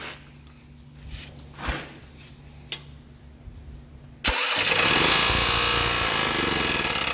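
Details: Champion generator that was backfiring through carb and exhaust and starting hard, now firing up after a few clicks and running smoothly with no backfires after unplugging the faulty oil pressure sensor, which acted up once running.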